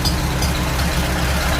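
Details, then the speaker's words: Farmall Super A tractor after carburetor fixes for dying under throttle; smooth, steady low rumble at idle with no governor surging or hunting, running right. "as you see in here sounds much better a lot smoother no more surging with the governor sounds pretty good"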